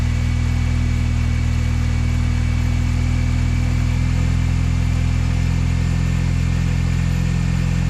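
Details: Mini Cooper S R53 track car right after first start following clutch, gearbox and subframe refit with polybushes; steady low even hum, no knocking or ticking throughout. Normal idle.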